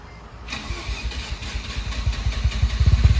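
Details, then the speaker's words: Mazda RX7 FC3S fresh street-ported rotary, early start with exhaust and silencer fitted (street setup): catches quickly, settles into a low even burble, surprisingly quiet; smoky at first but clearing; normal start and idle. "I forgot how quiet this thing is. What the hell?"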